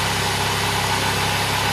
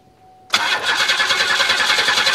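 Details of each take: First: 1996 or 1993 Buick LeSabre at idle just after start with a large smoke cloud; owner notes a small exhaust leak blowing debris: steady idle with faint ticking puff over the engine note. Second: 1993 or 1996 Buick LeSabre with a fuel leak, fresh battery: cranks about two and a half seconds, catches cleanly and settles into smooth even idle; healthy start.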